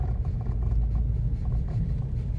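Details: Renault Megane 2 at about 192,000 km, driving slowly around 20 km/h over small bumps; faint irregular dull knocks from the suspension under road rumble, absent on smooth roads or big bumps; owner suspects the steering rods (not the tie-rod ends).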